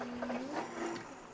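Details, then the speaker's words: HVAC condensate pump test-run by holding it down, drawing 1.05 amps: even whirring motor with a rising tone as the water runs out, no rattle or grinding; smooth, powerful, healthy. "and you hear it run out of water just let it off pretty smooth pretty powerful pump"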